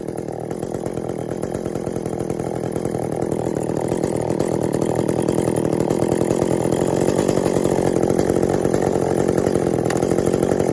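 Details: Echo CS400 chainsaw after OEM oil pump replacement (stripped plastic gears): rapid, even two-stroke buzz slowly building in speed and loudness, no stumbling or bogging; tuned from boggy, could use more tuning (limiters still in); oiling well, normal running.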